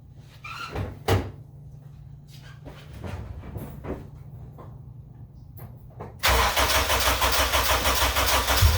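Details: AWD Honda Civic EM2, first start with new turbo and new full 3-inch open exhaust (no baffles, ovalized pipe): after door clatter the engine catches and settles into a quiet, steady idle with no knocks, spitting out water and condensation; sounds good.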